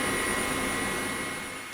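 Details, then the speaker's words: 1998 gaming PC rebuild, Pentium Pro with Voodoo 2 and SCSI drive: constant loud rushing whir with thin steady whistle from the Nidec Beta V front case fan, very noisy while moving little air. "this thing's pretty loud and i'm not quite sure how to feel about it that insult to injury the nidex fan at the front does not move in a whole heck of a lot of air considering how much noise it's making"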